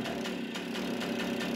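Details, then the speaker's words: Mobylette D55 moped, two-stroke, with an air leak at the carburetor: uneven stumbling beat with occasional dropped firing pulses; misfire, carburetor later replaced. "bien aquí como veis la moto está fallando tiene una toma de ver en el carburador"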